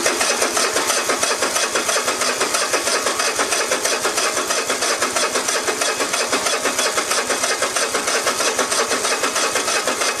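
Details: Cub Cadet i1050 zero-turn mower with Kohler engine, left outside for years: even starter cranking at about three turns a second that never fires; fuel lines clogged and carburetor jet clogged with old smelly fuel residue.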